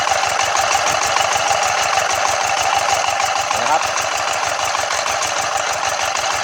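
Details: Yanmar TF115 11.5 hp single-cylinder diesel, first start after full rebuild (new liner, piston, rings, bearings), governor not yet adjusted: quick, even clatter at about three beats a second with no extra knock; runs cleanly at idle, normal.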